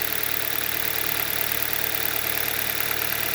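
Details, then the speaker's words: 2011 Hyundai Solaris G4FC, 166k km, cold start at 15°C, raised warm-up idle, heard from outside: even steady hum, no knocking or tapping, runs normally cold. "вот так работает на холодно со стороны не слышно с улице можно сказать нормально работает"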